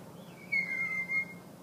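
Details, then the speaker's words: Honda CB350 with rebuilt top end, timed to spec, after a loose cam sprocket: thin, bird-like squeak under a second while the engine is slowly turned over by hand near left-cylinder top dead center on compression, with heavy resistance. "see it sounds like there's almost a little bird in there"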